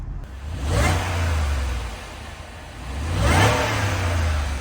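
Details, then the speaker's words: Supercharged Range Rover V8 with low coolant and a suspension fault; an accessory whined on first start. Two smooth blips rise and fall cleanly without knocks, rattles or misfires; the engine sounds healthy. Healthy engine revving. "the engine definitely sounds healthy"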